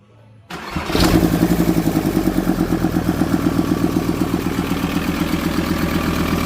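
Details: VW T4 van diesel, after fitting boost pipes, vacuum lines and a pod filter: cranks briefly, catches within a second, then settles into a steady, even clattering idle. Healthy; the water may need topping up.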